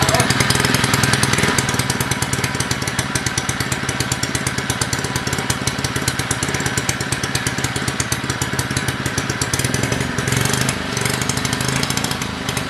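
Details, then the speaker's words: Small engine previously filled with maple syrup, cleaned out, flushed with water and refilled with oil, running after a few pulls: fast, choppy putter that wavers and stumbles; running rough, not great but running. "all right it took a few polls but we got it running and it's running really poorly right now not super poor but not great not brand new but it's running"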